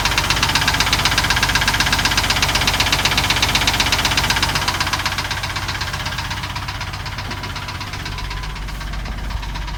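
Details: Idling petrol engine with a sharp, very regular knock about four beats a second; owner unsure whether lifters or rod knock.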